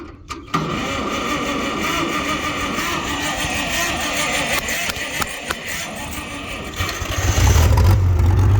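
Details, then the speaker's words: Abandoned Farmall 460 tractor, after refuelling since it was simply out of gas: cranks, catches quickly and settles into a steady, even run that picks up under throttle; normal start and run. "there we go yeah she was just out of gas all right back to work"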